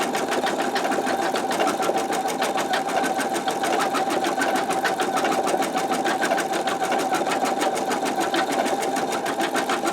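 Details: Embroidery machine stitching at medium speed (one notch above lowest) using a 10.2 x 8 inch MagnaHoop magnetic hoop: steady, fast, even stitching clatter at a constant pace, slightly louder than at slower speed, no knocks or grinding; normal running.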